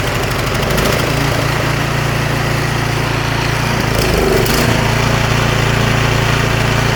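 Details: Snowblower small single-cylinder engine after smoke possibly from owner tipping it to drain gas, plug torqued in: steady even fast beat, no misses or surging; running fine.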